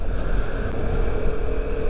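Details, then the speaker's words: Vespa LX 150 i-get (150 cc) being ridden: steady, smooth low engine drone with wind rush and low vibration, plus the mild valve-like "ker" rasp described as typical of Italian engines. Normal running. "Vespa ini juga ini ya halus ya getaran halus suara halus tapi tetap ada ker gitu"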